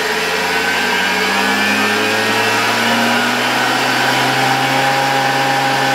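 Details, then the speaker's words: 1987 Zelmer 200.8 vacuum cleaner, original type 300 motor with new brushes, mounted in housing and run from a voltage regulator. Steady high whir with a rough crackly edge; brushes spark more and more as voltage rises, more than new brushes should. "niestety Przyznaję że zaczyna mnie niepokoić to że wraz ze wzrostem napięcia Coraz bardziej zaczynają iskrzyć te szczotki i to niestety bard niż spodziewałbym się po tym że założyliśmy nowe"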